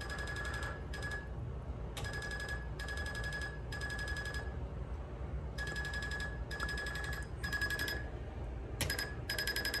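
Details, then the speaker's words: 2022 Icebear Maddog Gen V scooter after converting from vacuum pump to an aftermarket pulse-type electric fuel pump: bursts of high buzzing chirps about half a second each when switched on, the normal sound of this pump. "rolling wrench they got this dialed in to where they think it's pretty good and then on the videos it makes like this chirping noise when you turn it on"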